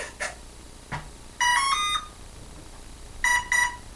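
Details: Hobbyking F4U Funfighter with a FlySky receiver and Turnigy 9X radio; throttle doesn't work despite trying reversed controls. Short clusters of high beeps repeat in a set pattern while the motor stays silent. Speed controller error code; owner suspects a bad speed controller, unconfirmed.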